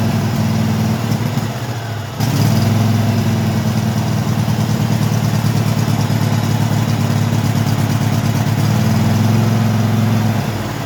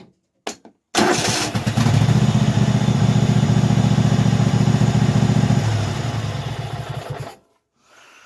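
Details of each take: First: Craftsman hydro mower with Kohler V-twin, after carburetor cleaning and refitting the fuel pump: catches after a brief drop, then runs a steady, slightly uneven low thump. Still needs warming up and stutters off idle, though runs good. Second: Craftsman hydro riding mower V-twin, after carburetor cleaning and replacing the carburetor bottom fuel solenoid: fires at once, steady even beat, clean shutoff; previously refused to run, now runs normally.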